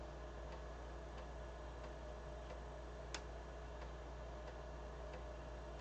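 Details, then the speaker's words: BBC Micro floppy drive after cleaning suspect dirty heads: soft evenly spaced head clicks about every two-thirds of a second over steady motor hum, slight hesitation; reading normally, much better than before cleaning. "So far it sounded pretty good. So it may have just needed a clean."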